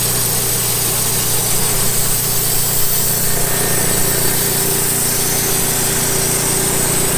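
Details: Late-1990s Wood-Mizer LT15 sawmill engine, long-stored, after maintenance, still running despite its age: steady even engine note with blade drive humming, no knocks or misses: normal running.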